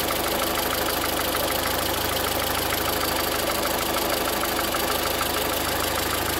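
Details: 2013 VW Voyage with the EA111 engine at idle: a steady idle with a fast, somewhat uneven tapping about three times a second riding over the engine; a strange knock of unknown origin.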